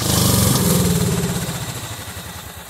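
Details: Cub Cadet 2130 lawn tractor, just started: uneven, lumpy firing that fades and sags, struggling to stay running; fuel system full of water and rust, owner suspects water in the carb bowl.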